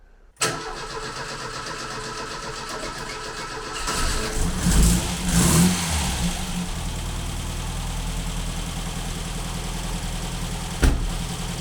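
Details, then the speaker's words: 1985 Ford Fiesta Mk2 barn-find project with the old pushrod Kent engine, cold start: it fires promptly, takes a couple of blips and settles to a smooth, steady idle; a normal, healthy cold start. "Doesn't sound too bad at all, and that's a cold start."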